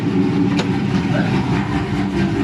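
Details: Dodge Charger 6.1 Hemi warming up at 158°F during an overheating and thermostat check, thermostat not yet open. Deep, loud idle with a choppy lope that stays even from beat to beat. Normal cammed idle.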